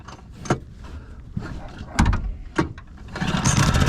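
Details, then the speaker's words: Small pull-start outboard on a Wildcraft boat repowered with a Yamaha F90 main motor, started warm with choke at the indent mark; catches after a few pulls and settles into a steady, healthy run. Normal start. "look how easy that starts. It pushes this boat pretty damn good too."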